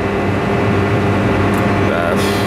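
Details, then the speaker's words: Supermarket refrigeration rack, liquid-line subcooler condensing unit whose breaker tripped; compressor leads disconnected (0.8 ohm windings, no insulation fault) and power restored: condenser fan runs with a steady even whir and low hum; fan normal, scroll compressor judged dead. "Donc là j'ai débranché, j'ai remis le jus, on voit que on entend que le ventilo-condenseur fonctionne."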